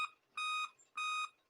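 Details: Dell Inspiron P40F laptop at startup: clean high beeps about a third of a second long, repeating every 0.6 seconds and continuing after boot; five-beep BIOS code for real-time clock power fail, a dead CMOS battery; fix is CMOS battery replacement.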